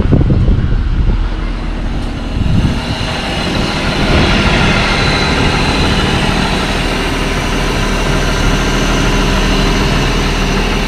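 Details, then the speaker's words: 2005 Ford Territory Ghia after a major service with 7 liters of oil, earlier low-oil noise and broken-bearing vibration gone; smooth, even, quiet idle with a low steady hum, no knocks, ticks or misses; slight smoke only from spilled oil. "It runs so quiet, a little bit smoke because I spilled out a bit of oil out there."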